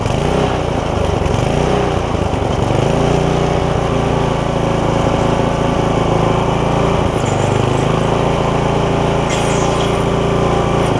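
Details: Barn-find tiller, bought 17 years ago and never used, on its first run after its seized linkage was freed with lube; oil full. Loud single-cylinder chug runs fairly steady at idle with a couple of brief speed dips; slight stumble, cause unconfirmed.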